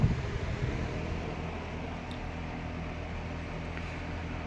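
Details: Late-1960s Eskimo 3-speed all-metal box fan on 120 V, medium speed drawing 1.8 A: steady low hum with soft even rush of air, no ticking or rattle; running smoothly.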